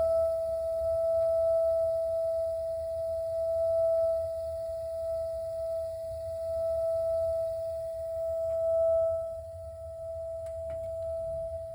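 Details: A.O. Smith water heater giving a steady, pure singing tonal hum with a faint overtone above it, holding level throughout; cause not identified.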